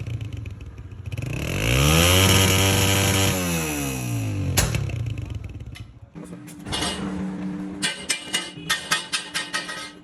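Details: Honda CG125 Euro motorcycle: engine revs up and falls back, then sharp pops crack from the exhaust, roughly ten in four seconds; exhaust backfire popping on overrun.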